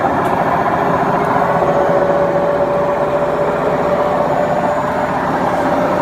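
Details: Beko washing machine, 7 years 8 months old, drum spinning; loud constant rumbling roar with faint steady hum from a worn drum bearing; machine to be replaced.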